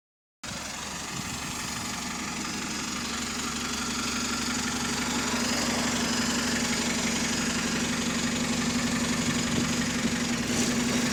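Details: Bus DW305 diesel at steady idle with a faint ticking puff about four per second over it, indicating a small exhaust leak.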